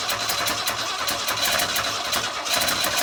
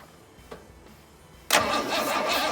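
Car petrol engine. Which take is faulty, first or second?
first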